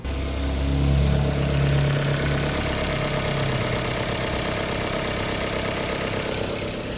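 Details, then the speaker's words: 2015 Chrysler 200 parked over a year, first start after a suspected parasitic draw or starter issue. Low idle that starts uneven and lumpy, then steadies; probably old gas. "Yeah. Starting to smooth out. Probably some old gas. Yeah. That's probably why it's being a little"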